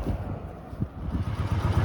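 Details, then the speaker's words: 1981 Honda CX500 V-twin, laid up 1995–2022, 32,000 miles, warm after a 30-odd-mile ride: low even lumpy tickover outdoors; still running sweet, idling smoothly. "there we go bike's still running sweet ticking over nicely here just at the top of southport still"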